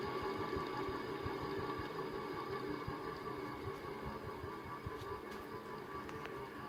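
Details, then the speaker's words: 1979 SMC M48 three-metal-blade ceiling fan: steady running hum with uneven clicks and clunks from very worn bearings full of dirt, rust and gunk; contact cleaner, oil and WD-40 failed (WD-40 made it worse), bearings to be replaced. "you can hear that clicking and clunking probably which is the it's due to the dirt and gunk or rust or whatever that's in the bearings"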